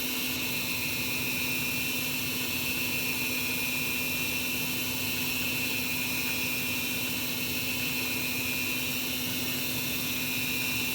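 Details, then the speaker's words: Carrier gas furnace on a no-heat call: steady inducer fan hum with a hiss and no valve click or burner lighting; the igniter had failed so the gas never lit. "I'm just waiting to hear this valve click open again and if it does so we either need an igniter or we are not getting signal from the board"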